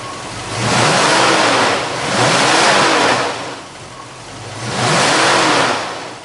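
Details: 1966 Ford Mustang, 289 small-block V8, Edelbrock 1406 carburetor, aluminum intake, 7-blade clutch fan, C-5 automatic, hood open: three smooth revving blips rising and falling evenly, no knocks, ticks or misfires; normal running.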